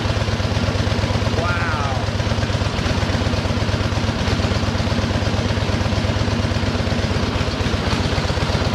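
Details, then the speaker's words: 1913 Harley-Davidson single-cylinder, started after tickling the float: crisp, even thump at about two beats a second, steady and clean with no knocks or rattles; a tight, healthy motor. "does that sound good it's it's just there ain't a noise in it it just sounds like a good tight little motor"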